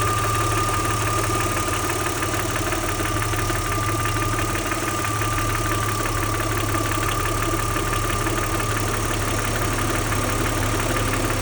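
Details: Audi 80 V6 2.6 at idle; light, fast clatter ticking about three or four times a second over the engine hum, source unclear; engine clatter at idle.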